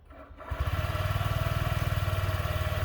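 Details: Honda Ruckus scooter at about 40°F after an ECM data reset to cure hard starting and bogging: fires after a brief crank, settles into a quick, even single-cylinder putter; healthy cold idle.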